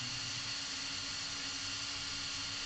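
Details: Hobby King brushless RC car motor on 12 V battery, after manual beep-mode ESC setup, running forward and reverse: steady even electric hum with a clean high whine holding pitch; normal running.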